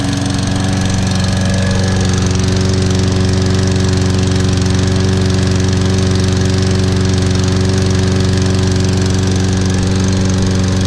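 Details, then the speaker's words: Toro Recycler 22-in model 20332 rope-start mower, 190cc engine with auto choke, on a January cold start after probably about 3 months unused; it started better than the electric-start one. Steady, even single-cylinder drone at constant speed with no misses or knocks: normal running. "That sounds good. That's a beast. That started better than the electric start one."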